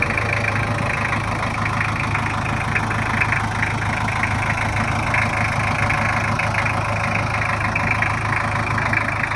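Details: Toyota Kijang LGX 2.5 diesel idling after service, previously rough with valve clearance due; now not as rough as before: steady, even clatter with a low constant thrum, no misses or knocks, normal idle.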